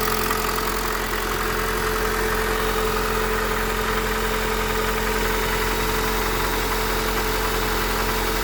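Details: Honda Accord 8th gen engine knock: uneven tapping over idle, loud when cold, lessening as it warms but still heard at 2000–3000 rpm; valves adjusted 15,000 ago, 5W30 oil; cause not found.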